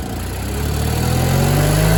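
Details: Miller Bobcat 225G welder-generator, idle for years, after starter solenoid, ignition pickup, alternator and fuel pump work and an oil and fuel line change: pitch climbs smoothly from idle to run speed, even tone, no misfires; generating fine, idle possibly low, slow to warm.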